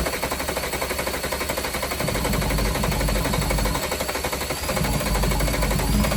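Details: VW Jetta Mk3 VR6 12V, first start after engine swap, sat a long time, WD40 in cylinders: rough choppy idle with uneven pulse about four beats a second; slight misfire, owner suspects one injector and old fuel, needs warming up.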